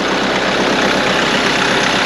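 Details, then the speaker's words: Salvage Kia Ceed GT-Line with no battery, running off a booster pack with voltage issues: a steady, even idle with no knocks or misses over the short run, the engine sounding healthy. "I don't want to leave it running for long. But it sounds great. Sounds fine."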